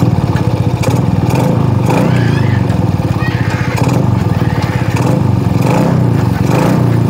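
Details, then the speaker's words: Shogun R110 motorcycle that normally stalls in first gear, with the gear-indicator panel plug disconnected: low, steady thumping idle that keeps running without stalling with first gear engaged; normal idle in gear. "عندما ندخل ما يسمى الترس الأول يظل المحرك قيد التشغيل ، لا ينطفئ ، يا رجل"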